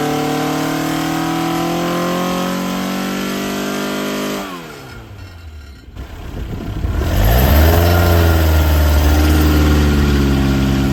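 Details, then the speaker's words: Ford Crossflow engine with twin 40 DCOE carbs, Kent 224 cam, Vulcan head, first dyno power run at conservative 26° ignition advance while bedding in; strong even note climbing smoothly under load, dropping away and rising again cleanly; healthy, 115 hp, 118 lb-ft. "So, there you go, guys. That's our first power run. Only 26° ignition advance, 118 pound foot, 115 horsepower."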